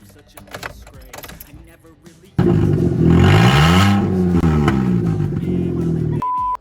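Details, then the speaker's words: Car just after a steering rack refit, with the exhaust loosened for the job and not attached. The engine catches abruptly and runs loud and raw, a harsh open bark swelling with a throttle blip; running with the exhaust disconnected. "all jokes aside this doesn't sound good without the exhaust"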